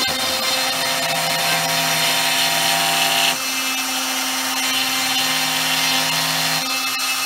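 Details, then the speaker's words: New 4x8 CNC router with a new router, cutting an arcade cabinet: steady high spindle whine and even cutting hiss, no jitter. Earlier jitter came from a loose router mount; after tightening it the cut runs smoothly. "we had the damn mount loose we think we smoothed it right out oh hell yeah"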